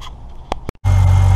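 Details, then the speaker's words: BMW 525i with N52 engine, started the day after starter replacement: a few clicks and a brief gap, then a smooth, steady low idle with no knocks or misses; healthy after repair. "morning everybody is the next day but as you can hear we succeeded on the replacement of the starter for the n52 525i"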